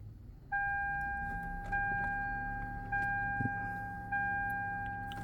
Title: 2009 Lexus GS350 - no crank, no start, brake malfunction